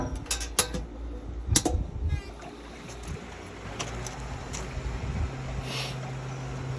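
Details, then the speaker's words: Pentair pool pump restarted after cleaning the filter baskets: a couple of sharp clicks, then a low hum builds over a second and settles into an even, steady tone as the pump starts normally. "You come back over here. Push F again. You'll hear it click. Pump should start back up."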